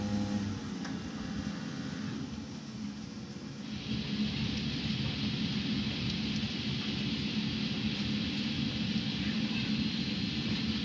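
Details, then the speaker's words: Rinnai tankless water heater with error code 10, old blower running before replacement: a steady low rumble with a rough, gritty vibration at constant speed, and the code then appears. Owner suspects worn blower bearings. "of course it's gonna try and prove me wrong right now it's gonna work perfect other than the vibration sounds"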